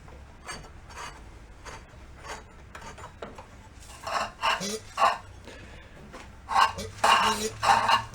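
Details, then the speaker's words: Yerf-Dog go-kart with CVT, sitting many years, engine turned over slowly by hand: uneven scraping, gritty crunches with each pull; owner suspects something in the starter cover; not confirmed. "sounds a little crunchy it's making that noise I would say probably something in the whole starte cover"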